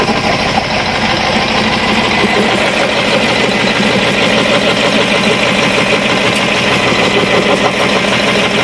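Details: Cat 3208 marine diesel (starboard) idling after repairing a plunger and barrel stuck from corrosion over 18 months; steady diesel clatter about three beats a second, even and unbroken, healthy idle.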